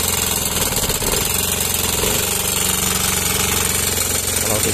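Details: Yamaha Mio M3 scooter at idle: loud, fast, rough metallic hammer-like clatter that never lets up; valve train knock from worn camshaft with a sticking rocker arm.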